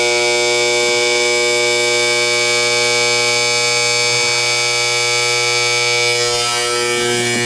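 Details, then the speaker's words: Gas boiler and water heater power venter with old crusty, long-unoiled motor, boiler not firing: loud steady electrical buzz with harsh edge and no proper blower rush; venter motor failing, needs a new motor. "it yeah it's not firing it's the motor it's the motor need another motor"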